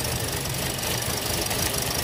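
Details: Toyota Vios 2017 automatic at idle: an uneven, lumpy beat with irregular knocking under a steady hiss; misfire is mentioned. Rough, unstable idle.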